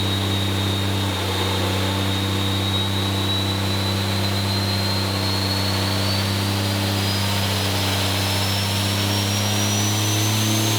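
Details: 6.7L diesel (D&J stage 3 head, second-gen turbo swap) on a dyno after fixing a pinched-boot intercooler leak, 893 hp: loud, steady full-load roar, turbo whistle slowly climbing in pitch, no boost-leak hiss. Healthy pull.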